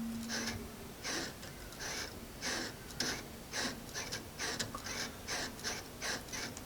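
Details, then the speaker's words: Otto Bach piano: dry, scratchy squeaks about twice a second as the sustain pedal is pumped, from damper leaf springs rubbing their red pressure pads behind the hammers, with the microphone facing the pads; most of the springs squeak. "So that's where the noise is actually coming from. Now I'm going to put the microphone back facing those pads, and you'll hear them squeaking."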